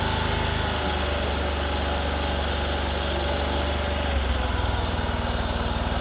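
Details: Discover motorcycle, in a clip about mileage and engine-sound problems: single-cylinder idle holds a steady, even beat throughout with no knocks or stumbles; a healthy, normal idle.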